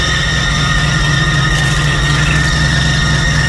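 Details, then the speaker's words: Truck running after a tune-up with new spark plugs, an oil and filter change and Seafoam in the tank; even, steady run with no misses, but a thin constant high whine in the background that the owner blames on a pulley. "she oh it sounds so much better oh my word SP that's what spark PES can do I mean it didn't even look bad"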